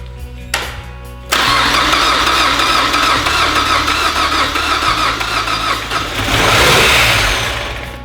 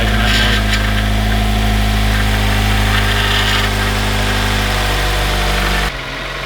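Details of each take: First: 2007 Mazda Miata with swapped 2.5 engine, first start on open header: catches, runs rough, races to wide-open throttle and cuts off; vacuum leak, later found to be the unplugged PCV valve. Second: 2007 Mazda Miata with swapped 2.5 engine, in neutral: steady, even idle with unbroken rhythm, perhaps slightly deeper than before, no misses or knocks; normal running.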